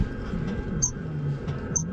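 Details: Volvo FH truck cab squeak heard from inside under the panel. Driver first suspected the sun visor, then thinks a cab shock absorber is the cause, not confirmed. Two high thin squeaks a second apart over a low creaky groan as the cab rocks.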